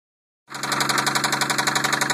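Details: 1990 Toyota Supra turbo, 5-speed, idling with a fast, even knock over the running engine; source not yet pinned down.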